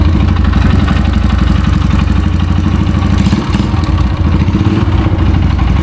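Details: 2017 Yamaha YBR 125 engine before full restoration: loud steady clatter over the idle like stones rolling inside the cases, pointing to badly worn internal engine bearings.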